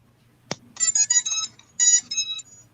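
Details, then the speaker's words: Drone with ESCs powering up, no transmitter or receiver on: a connector click, then bright stepped beeps from the motors in two groups, the first three from the ESCs; a normal startup tune. "the first part of it would be the doo doo doo the first three beeps the esc so tell me if this is if my esc's are good or not"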